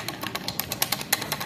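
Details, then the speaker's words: Honda Beat injection scooter CVT: sharp, fairly regular clicking knocks about seven a second, caused by a bent part and a loose, worn bearing seat that keeps knocking despite shimming. "Nah setelah itu ini teman-teman jadi karena ininya bengkok nah dia dudukan ininya kalah nih teman-teman jadi dia bunyi seperti ini"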